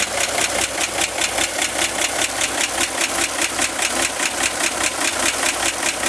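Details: 1965 Corvair engine at idle: sharp, even ticking two or three per second, louder than normal, from top of engine near the fan; began 2–3 weeks ago, worsening; fan belt tightened, barely reduced; cause not pinned down.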